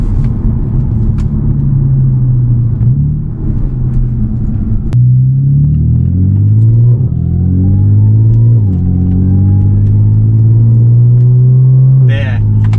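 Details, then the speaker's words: Audi with stock exhaust, muffler delete and catless downpipes, cruising in fifth then shifting to fourth: deep steady booming drone in the cabin dropping in pitch through the gear change, caused by the muffler delete. "right there was huge huge amounts of drone"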